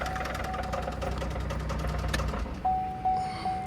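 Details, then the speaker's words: Impala bought at auction labeled electrical damage, showing 177 on the odometer, oil present: rough running with a steady rapid knock of about two to three a second and a door chime; sounds like rod knock, blown motor, parts car. "it sounds like a rod knock let me see hey what is that does it got oil in it it does i'm gonna crank it see if that's i'm pretty sure that's uh the motor knocking"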